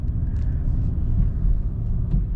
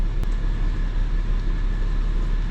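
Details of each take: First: 2004 BMW 325xi after replacing ignition coils for misfires; on a drive, steady low engine rumble building evenly under throttle, no stumble, no check engine light; accelerates smoothly and sounds healthy. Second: 2004 BMW 325xi automatic, 17 years old, check engine light on: a low, lumpy idle with an uneven throb, and the car shakes. The scan tool shows misfire codes on cylinders six and two.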